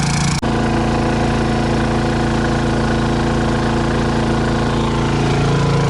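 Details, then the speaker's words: Honda 2200 generator at 13.1 hours into an extended run powering an RV air conditioner: steady, even engine drone with constant pitch, no surging, knocking or rattles; normal running under load. "you can see that the hours are at 13.1 hours running and this is it this is all the noise that it makes"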